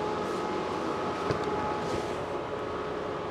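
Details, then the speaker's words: Tesla Model 3 LFP, about two hours into a service-mode battery health test, discharging nearly 4 kW via the rear motor: front fans dumping heat give a loud, steady rushing whoosh with a faint whine, no knocks or grinding; normal high-speed fans. "so if if it's parked near someone's bedroom or something uh yeah I'd suggest doing it somewhere else is super super loud those those fans at the front discharging Heat"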